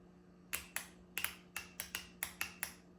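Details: Solenoid from 1993 Honda Accord transmission (1st–2nd shift delay to 4,000–4,500 rpm), bench-tested after cleaning: crisp, sharp clicks, about nine in three seconds, each clean and even; switching normally; normal solenoid click.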